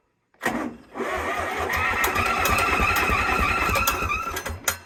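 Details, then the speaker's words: Zetor 3340 diesel tractor, sat over five years, new battery, first cranking attempts: labored slow cranking with sustained high-pitched squeal, sounds like slipping belt; alternator suspected of holding the engine back. "Let's see what's squealing. Sounds like the belt."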